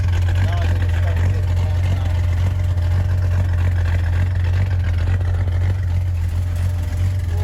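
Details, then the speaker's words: 1983 Ford F-150 after a full exhaust replacement with a brand-new muffler, only clamped so far: deep, steady low rumble with an even pulse and no rattles or leaks; "sounds like a whole different beast", healthy, quiet exhaust note. "sounds like a whole different Beast and"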